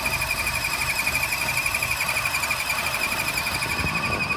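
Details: 2014 Chevy Sonic 1.4L turbo with check-engine light and rough running: a loud, steady, belt-like squeal warbles about three times a second over the engine. The cause is a failed PCV pressure bladder built into the valve cover; the water pump was ruled out.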